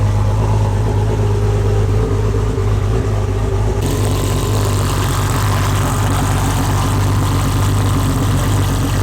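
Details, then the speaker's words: Barra-swapped Mustang GT350 on a lift, revved with only a very light flywheel fitted: hard smooth free-revving rise in tone without heavy shake; reduced vibration suspected, not confirmed. "Yo, light flywheel on a Barra sounds sick. It sounded rad, right?"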